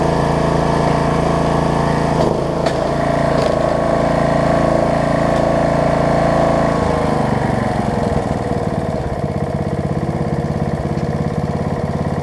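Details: Snapper rear-engine rider after carb cleaning, throttle cable repair and new deck belt replacing a stretched, cracked one; single cylinder runs smooth, then idled down cleanly to a slower, even idle with no misses or knocks; healthy.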